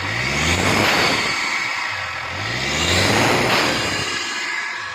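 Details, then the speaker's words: Toyota Prado diesel after full tuning and cleaning of all diesel pipes for low pickup, black smoke and knocking complaint; two clean rev blips rising and falling smoothly, no knock or stumble; running healthy. "ਠੀਕ ਹੋ ਗਿਆ engine ਵੀ check ਕਰੋ ਸਹੀ ਸਾਫ ਹੋ ਗਿਆ।"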